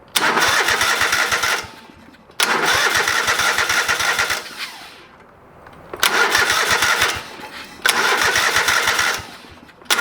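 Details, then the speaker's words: Old lawn mower being revived, first start after carburetor rebuilt and fuel added to the bowl: several long bursts of fast chugging cranking with pauses, never settling into a steady run; hard starting. "all right she fired not right up but she fired up so i'm gonna see if she can do it again"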